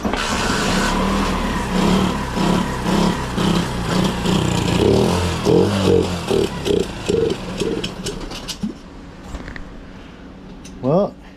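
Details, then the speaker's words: Long-sitting pit bike after carb jet cleaning and exhaust crush washer fix, on choke: catches, runs a few seconds, then turns ragged and surging and dies; bogging and stalling on choke, owner suspects jets not cleaned well enough. "had to choke on and it start bogging down immediately so that's crazy it fire up goes for a minute and then just kind of just D back down real bad"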